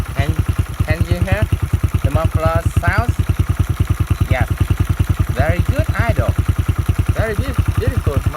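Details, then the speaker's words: 1995 Honda Win 100 single with a fresh rebuild (piston, connecting rod bearing, clutch, gearbox) and a new valve job, local aftermarket muffler: steady, even low putter at idle with no misses or knocks. Nice idle after the valve job. "You can see that the engine have a very nice idle speed because of I just done a good valve job."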